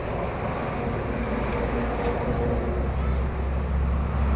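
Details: Electric fan running after its swing gearbox was replaced (swing had stopped working): steady, even whoosh of moving air with a soft low hum, no clicking or grinding; normal running.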